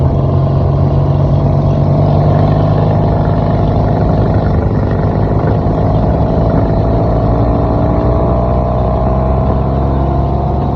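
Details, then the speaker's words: BSA old-school chopper on its first ~25-mile road ride: a steady loud engine with loose, uneven slapping underneath. The chain seems to occasionally hit the inner primary case, possibly from a worn sprocket or missing shims; cause unconfirmed. "I think it's coming off your chain. I think your chain's hitting your inner case there a little bit occasionally for whatever reason."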